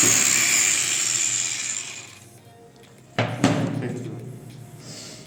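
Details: Angle grinder (Makita 9557 HN 840 W 115 mm type) after repair: popping from burnt commutator fixed by fitting new rotor/armature with bearings and gear transferred; high steady full-speed whine winding down cleanly, no popping or rattle.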